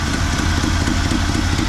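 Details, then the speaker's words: 1974 Chevrolet C10 small block, off the road over 10 years, at a fast idle: a lumpy, uneven low throb pulsing several times a second; running rough and very rich on the carburetor tune, the owner also suspects over-advanced timing. "She's running richer than Queen Elizabeth right now with my carburetor tune."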